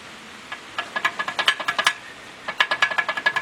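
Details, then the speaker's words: Willys F-head engine driving a Rockford PTO, newly fitted with a Weber carburetor and idling nicely: a light, quick metallic rattle in two short bursts from the engaged PTO clutch mechanism, with no engine knock; this is normal clutch rattle. "clutch is working nice and smooth kind of rattles a little bit in there and i thought i had some engine noise but"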